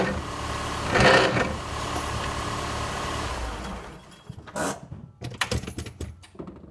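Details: 2003 PT Cruiser GT manual transmission, weeks after a hub bearing replacement, car lost drive after shifting to 2nd: harsh rough grind from the transmission as the clutch is released, fading into scattered clunks; cause not confirmed.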